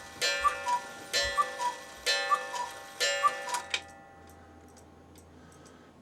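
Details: Cuckoo clock after cleaning and oiling, which had stopped after a few minutes of running: four clean cuckoo calls with gong strikes just under a second apart, then quiet ticking; striking normally.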